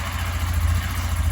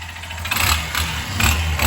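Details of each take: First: Lander 250 single-cylinder, 29,660 km, after full engine rebuild with new connecting rod and pin (was knocking, marked rod pin, heavy carbon): even, steady thump with clean low beat, no tapping or knocking, good oil pressure; healthy idle. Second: Lander 250 single-cylinder engine at only 29,660 km, revved with a hard knock on each rise and heavy carbon buildup; connecting rod knock, engine torn down and found a scored connecting rod pin.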